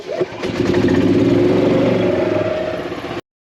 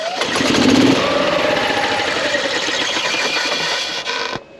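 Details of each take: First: 2016 Yamaha petrol golf cart after battery replacement (new battery holds above 11.5 V while cranking): engine catches quickly, steady mid-pitched run with even firing, then switches off; starting normally. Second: 2016 Yamaha petrol golf cart, slow/intermittent start complaint, load-testing battery while cranking (voltage drops to about 8–10 V): sluggish cranking about four turns a second drags lower, then quits; weak battery is the cause.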